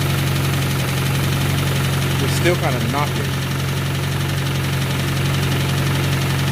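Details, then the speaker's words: 1992 Honda Accord with bone-stock JDM H22A, turbocharged (GT3582), 93 pump gas, warm idle; dull, uneven knock about four per second under the engine note; owner believes the stock motor is done, cause not pinned down. "something hitting or actually motor knocking that a warm open sea well ladies and gentlemen I'm going to go out on the limb and say that this motor is going"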